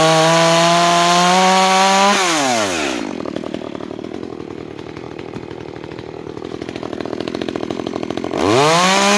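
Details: New Makita EA3200S chainsaw during break-in, cutting wood: high scream drops and bogs evenly as the chain bites, then revs cleanly back up; healthy.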